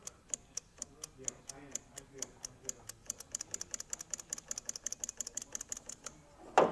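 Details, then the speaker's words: 1961 VW Beetle barn find: rapid, faint light ticking at several clicks per second, and the starter doesn't engage or spin. A bad ground is suspected, since the cable looks new. "Yeah, you hear it. Yeah, it's definitely making noise, but it's faint."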